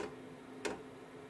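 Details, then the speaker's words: KROAK TB2 8 kW diesel parking heater with 6-liter tank, at startup: crisp single fuel dosing pump ticks about every two-thirds of a second over faint fan hum as fan ramps up; normal pump clicking. "You can definitely hear the pump now. The distinct clicking sound of the pump is clearly and unmistakably audible."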